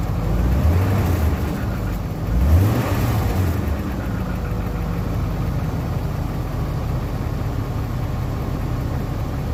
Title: 97 540i e39 rattle noise.